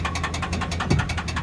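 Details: Petrol car just collected from Copart USA, idling with a fast, even metallic engine knock of about ten or eleven raps a second.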